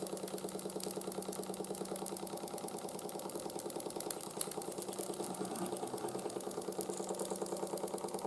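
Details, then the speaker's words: 1914 Ernst Plank 114/1 vertical steam engine, hot, after new crank pin, wrist pin and crank shims for side play: fast even ticking clatter about three beats a second with each turn; light residual crank knock, much quieter than before. "as well as put some shims into the crank assembly just to reduce side play a bit and it does still clunk a little bit when it's hot but it's a lot more quiet and it runs a lot happier than it was before"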